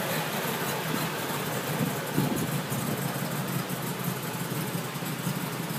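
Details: 2003 Mercedes G55 with Kleemann supercharger on first start: V8 idles unevenly, stumbling and surging; misfire and rough idle blamed on installer errors in the fuel delivery system and in the vacuum lines to the MAP sensor and switchover valve.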